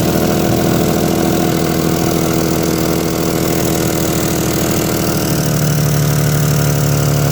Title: exhaust leak 1